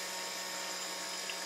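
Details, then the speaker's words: Silent air compressor with mineral (baby) oil added, filling an empty tank in about 2 minutes. Before the oil it held only about 40 psi and bypassed. Oil splashing is faintly audible with a steady, even hum and hiss, no knocking; it runs normally. "I don't know whether you can hear that or not, but you can just hear the oil splashing around in there. Probably a bit hard to hear it."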